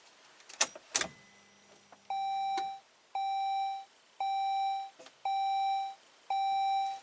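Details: 2004 Saab 9-3 with drained battery and ignition key stuck in lock, "Steering Lock Malfunction" message: after a couple of clicks, mid-pitched chime repeats about once a second, five even tones; steering lock malfunction warning.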